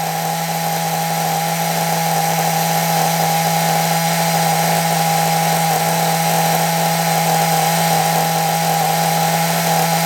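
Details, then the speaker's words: Nitro RC engine running with throttle set a bit high to keep revs up; steady high-revving buzz with a constant whine, no misses or surging, running smoothly. "well it seems to be running reasonably well now take over is a bit High I've got to take over high so that the Rev stay high obviously I want it to run for a little while but it's running nicely"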